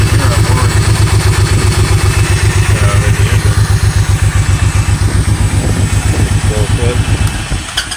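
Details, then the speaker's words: Honda VTX 1800N keeps running after key/kill switch off, dieseling-like, with faint starter whir as stuck starter solenoid keeps starter engaged; even chugging idle then stumble; tapping solenoid stops it; fixed with generic lawn-tractor solenoid. "Continues to run. Continues to run. It's the solenoid. You vote the solenoid a couple of times and it turns off."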